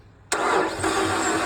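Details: 2015 Ram ProMaster with the 2.4 MultiAir, which stopped starting after running fine; spark plugs already changed, cover removed for testing. The starter spins fast and even with no compression beats and no firing, suggesting the valves aren't opening. Crank, no start.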